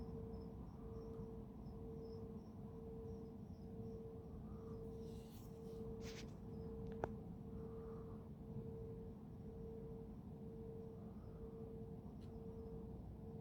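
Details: Mysterious hum recorded at 3am on 10 Feb 2022 from Careening Cove, Sydney, facing Garden Island Naval Base, the suspected source: a steady mid-pitched hum dipping one to two times a second over insect chirps; heard 24/7 from early 2021, stopped 15 March 2022.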